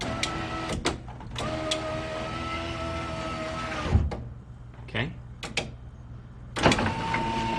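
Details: Nissan Figaro power window after fitting a 300ZX replacement window motor: even motor hum for a few seconds, then a clean stop with a soft thunk; window travels smoothly and works properly.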